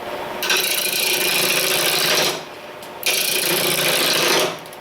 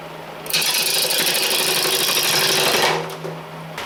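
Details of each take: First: Powermatic 2014 lathe at 800 rpm, after styrofoam stuffed into the legs to deaden the tinny echo: steady hiss of turning in two even runs, no tinny ringing; the stand is now well damped. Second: Powermatic 2014 lathe at about 800 rpm rough-turning, before stuffing styrofoam into the legs: harsh, tinny buzzing rattle as the tool bites, the sheet-metal leg stand resonating with the cut.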